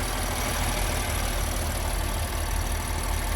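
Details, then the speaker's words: 2019 BMW M4, 3.0L twin-turbo, 454 hp, at a dealer auction, engine bay open: steady idle with a faint light ticking, about two a second; driver unsure if normal, says it runs fine with power there; source unconfirmed. "sounds weird i don't know if that's supposed to sound like that like a little ticking if you can hear it but i guess that's how this one sounds"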